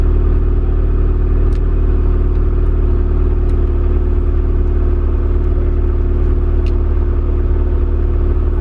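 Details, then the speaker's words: KRX with engine running and clutch engaged: a steady low whirring drone that goes away when the clutch is pressed; owner suspects the release bearing or the input shaft bearing. "Could be the release bearing. You can hear that noise. And then when I step on the clutch, it goes away."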